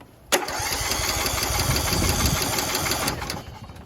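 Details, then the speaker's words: Craftsman YS4500 riding mower with a Kohler Courage engine, cranked on a jumper pack before full proper tightening: even, brisk, steady cranking with no puffing or hissing at the intake. Normal cranking; it then unexpectedly kicked over. "Now that's a proper sound. Now will it start?"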